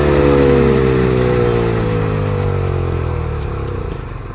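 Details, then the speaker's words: Polaris Indy Trail snowmobile two-stroke after carb cleaning and a small prime, sitting on stands with the track raised: it screams at high steady revs without throttle input, then slowly sags; the engine runs away, and the owner suspects a reassembly mistake. "So, yeah, that runs, but it is running away, so I don't know, I might have screwed something up there."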